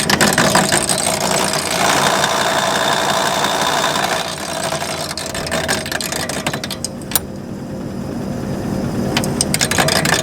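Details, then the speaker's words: John Deere 8700 forage chopper after new knives installed and sharpened: steady run, then sharp irregular metallic ticks as knives touch the new shear bar during adjustment, detected by shear bar knock sensors; normal adjustment. "now what we're doing is we're adjusting that shear bar and we move that shear bar out after we put the knives in so that we are sure that none of the knives hit on it you can hear it knocking right there"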